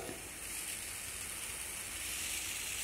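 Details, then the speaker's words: Freshly mounted tubeless tire on a Tuff carbon XC mountain bike wheel: steady high hiss of air leaking at the bead, to be fixed by shaking the wheel to seal it. "I hear a little bit of air leaking. So that means I've got to do the shake."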